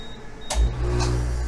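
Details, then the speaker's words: Liebert DataMate computer-room AC unit after compressor contactor replacement, power restored and loss-of-power alarm acknowledged, room at 75°F: a click, a soft thump, then a steady low hum settling within half a second. Compressor starts cleanly. "okay i hit the enter button the alarm went off you could hear the compressor turn on"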